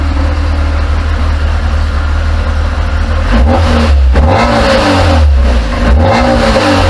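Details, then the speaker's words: Classic Mini started after catalytic converter broken stud replaced and welded: small four-cylinder catches cleanly, idles evenly and picks up crisply on a couple of short blips, smooth and steady; healthy. "it sounds lovely, doesn't it? That's me upset the wife, kids, neighbours, and the house now stinks of fuel for the evening, so I'll be in trouble."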